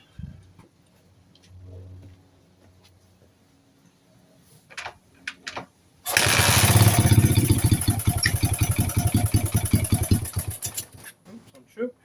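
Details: 1981 Honda CB100N points-ignition single, carb float bowl primed with petrol, choke on: a few kicks, then it fires and settles into a quick, even idle around 160 beats a minute, running cleanly; engine starts and runs.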